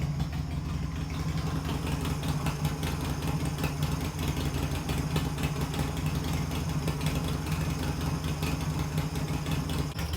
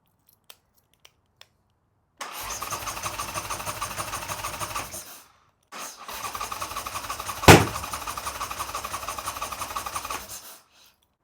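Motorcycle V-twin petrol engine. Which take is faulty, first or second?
second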